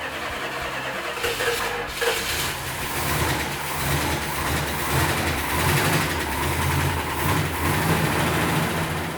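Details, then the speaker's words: Restored field-found Superbird V8 after firing order double-checked: cranks, catches and settles into a steady even idle with a couple of light blips; no misses or knocks, runs clean. "When Mark got it started, it sounded really nice."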